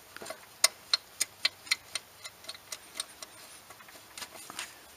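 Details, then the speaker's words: 2007 Ford Fusion 2.3 L Duratec four-cylinder, engine out with oil pan removed, crankshaft rocked by hand: sharp irregular metallic clicks about three a second from excessive play; engine bearings really bad, connecting rod bearing knock, bearings need replacing. "a problem the engine bearings are really really bad so we need to replace them"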